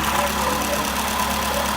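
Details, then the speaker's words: 2006 Toyota Camry petrol engine in a key-on, engine-running test after injector voltage checks: smooth, steady idle with an even hum and no misfire; normal idle. "the reason you're gonna do a key on engine running test is you're gonna listen for the ticking of the injectors but you're also gonna want to hear the fuel spray from the injector"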